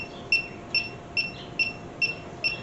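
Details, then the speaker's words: Freon leak detector (sniffer) on beep mode at maximum sensitivity, checking a cobbled AC system on a 1967 Mercury Cougar: steady high chirp about twice a second with no speed-up or alarm; idling, no leak found at this joint. "We'll set her to beep. Okay, we'll crank it up to mega mega sensitivity. So, if I have any small leaks, it'll spot them in theory."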